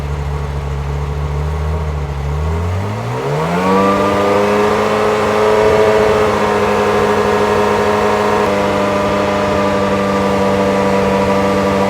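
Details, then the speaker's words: 1994 Euro-spec Ferrari F355 GTS with about 80,000 miles, Capristo exhaust and high-flow cats, during the emissions test: it stumbles at idle and runs rich, but revved to 3,000 rpm it clears out and holds a steady, smooth note. "And then once I rev the car up to 3,000 RPM for the higher emissions test, you can hear it clear out and clean up and run pretty good."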